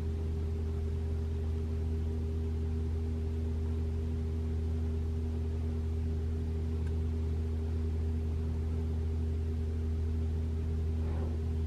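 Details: 2021 Toyota RAV4 Prime SE in EV mode at 3 a.m., 42°F outside, heater on right after start: steady low electric heat pump hum at constant pitch, no clunks or infamous loud startup noise; normal.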